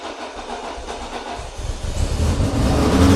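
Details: Citroen BX 16V, stone cold, cranked at wide open throttle: fast steady cranking chug builds without catching cleanly, possibly flooded; throttle position sensor earlier found with excess resistance; long cranking, hard starting.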